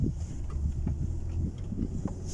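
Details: 2016 Ford Expedition in 4WD low, after rear limited-slip differential oil change with friction modifier for turning chatter: slow turn gives only a low steady rumble, no chatter, shudder or clunk from the rear axle; differential quiet and healthy.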